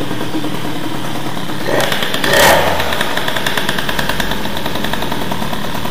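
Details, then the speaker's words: Airsal T6 50cc two-stroke, stock, Doppler head, prepared stock cases, MVT Premium ignition at TDC, Giannelli Black Gun exhaust, 21 PHBG carb, rich idle jet; just restarted, steady buzzing fast idle with brief blip, idle slightly too high. "jusqu'à là, c'est cohérent. Le ralenti est un peu haut là."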